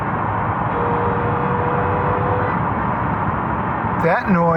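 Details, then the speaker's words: 2006 Subaru Outback lifting off the gas: steady engine and road drone with a faint thin whine; gear whine in the front transaxle/differential from old, low fluid or worn gears, fluid changed from 75W-90 to 80W-90, slightly quieter after. "is called gearwine and most likely it's in the front transaxle and the result of either old fluid or worn teeth in the gears in the transaxle"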